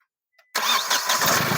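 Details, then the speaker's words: Diesel car after fitting new parts: brief quiet, then engine fires at once and settles into an even diesel clatter with no stumbling; starts properly, return flow now correct. "एकदम properly गाड़ी start है और यह देखो कितना आना चाहिए"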